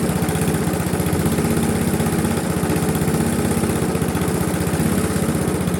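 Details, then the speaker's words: Briggs & Stratton Classic carbureted engine on a Razer GGP (ex-Castel Garden) mower, after carburetor work and repriming: runs without stalling but in a lazy low putter, won't rev; governor springs found slack, unable to pull throttle open. "Ça tourne mais ça prend pas de tour. On va essayer de faire mieux."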